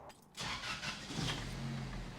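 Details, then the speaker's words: 1988 Toyota pickup with turbocharged 2RZ swap, manual, in neutral, hood up: engine runs with loud sharp puffing tick over idle from a massive exhaust leak at the cracked turbo manifold, masking transmission bearing rattle. "it's kind of hard to hear much besides this massive exhaust leak"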